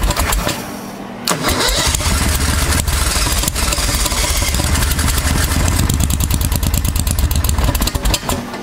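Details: 1992 Club Car golf cart with upgraded V-twin Briggs engine, after driven clutch replacement, sat about 6 months; long cranking, then catches into rough uneven run, hard starting.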